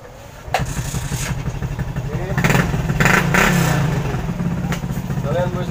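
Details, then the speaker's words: 110 cc single-cylinder motorcycle offered for sale starts at once, settles into an even idle and revs freely with a clean drop back; engine smooth, light pull, no abnormal noise, healthy. "Kalau untuk suara mesin halus dan nggak ada ngasup, ya."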